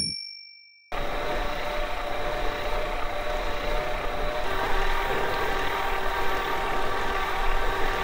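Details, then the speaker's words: E-bike mid-drive motor: after a short chime, a soft, even low hum with faint steady tones; much quieter than the earlier drives, with the harsh high frequencies reduced. "und das sagt ja echt heftig der unterschied also insgesamt deutlich leiser"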